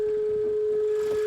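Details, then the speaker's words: Range Rover brought in mainly for an engine noise, with check engine light on: constant high whistle holding one pitch over idle, like air sucking through a broken hose, loudest at the front middle of the intake manifold; vacuum leak whistle. "aquí llegó un cliente con una con una camioneta r Rover atrás con el checken gin y un ruido Como si tuviese una fuga de vacío en realidad viene por eso no viene por el checken viene por el ruido que tiene la camioneta"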